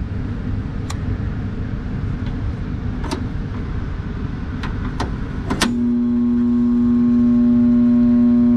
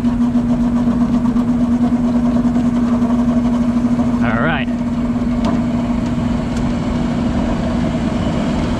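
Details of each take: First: Utility set exhaust fan motor drawing 17.3 A against a 5.8 or 2.9 A rating: after clicks, a steady loud electrical hum as the motor stalls without turning. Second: Exhaust fan utility-set motor that hummed but would not start, running at speed with a steady, even low-toned hum after being spun by hand; its run capacitor read about 7.3 µF, far off rating, and will be replaced.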